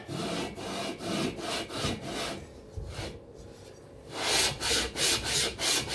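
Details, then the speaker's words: Cox 1600 engine, second lapping pass with fine paste, barrel onto aluminium head (no gasket): even back-and-forth rubbing about three strokes a second, no grabbing or catching; only rubbing now, mating surfaces lapped flat. "J'entends que ça ne reprend plus, ça fait plus que frotter. Donc là pour moi, on est à plat."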